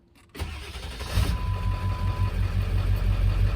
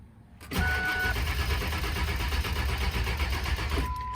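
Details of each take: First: 1999 Ford F250 7.3L Powerstroke diesel just restarted after a suspected run-out of fuel. It settles into a steady, even low diesel idle with no knocks or stumbles: normal diesel idle. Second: 1999 Ford F250 7.3L Powerstroke diesel, suspected to have run out of fuel, still won't start after diesel was added: a slow, labouring crank that never catches as the battery fades. Air in the fuel lines is suspected, and a fuel filter change is planned.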